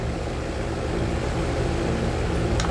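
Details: Ventisol fan after shaft repair and reassembly, plugged in to check grille vibration: steady even motor hum, constant low drone, no wobble, rattle or scraping; running smoothly.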